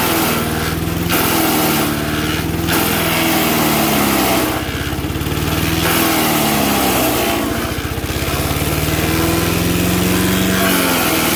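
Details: MTD 5 hp chipper/shredder, owner guesses 1990s-built, maybe idle a year or two, running after a carburetor kit replaced the bad carb: small engine runs hard and steady, dipping twice as branches go in, then pulling back up; normal running under load.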